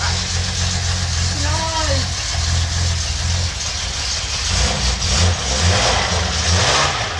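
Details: $50 L28 six (240Z) freshly rebuilt with chrome-moly rings and new bearings, first fire-up: even low idle with a few light throttle blips, runs cleanly without knocks; good oil pressure, no smoke.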